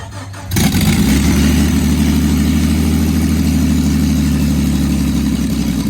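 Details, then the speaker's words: Jeep engine's first start after reinstallation, with no exhaust fitted: blaring, raw, deep rumble straight from the open headers, and flames shot out. Loud open-header exhaust. "he's jumping at the headers which is why it's so loud right now Sydney we did it cuz there's no exhaust on right now"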